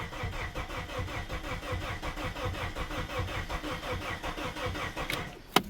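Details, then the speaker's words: Plymouth Neon sat at least 8 years, fed through throttle body: steady rhythmic cranking about eighty turns a minute, never fires; crank no start, later traced to missing fuses. "so keep keep uh keep feeding a little bit I just like to hear at least fire once would be nice it ain't doing nothing"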